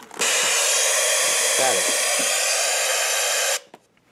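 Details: FPV setup with a Mobius camera, Fatshark 250 mW video transmitter and ImmersionRC Uno5800 receiver: about three seconds of loud, even hiss that stops abruptly, receiver static with no video signal.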